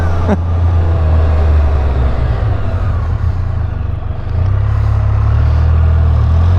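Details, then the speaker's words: New 2022 Can-Am Spyder F3L, 1330 ACE engine, under 100 miles and not yet broken in, riding. Low, even rumble that swells with throttle and no knocks, whines or grinding; exceptionally smooth. Normal running, no abnormal noise. "not only is this thing not making any weird noises it's like exceptionally smooth what they don't even have 100 miles on it yet"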